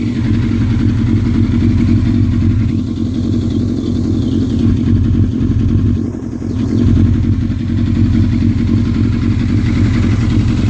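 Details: Yamaha Fazer 600 motorcycle idling with an uneven, stumbling beat, then two quick revs: engine misfire.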